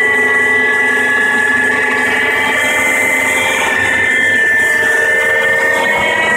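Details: Mercedes W211 running engine: steady high whir with several fixed tones around 2 kHz over the engine; source unclear, owner suspects the oil pump.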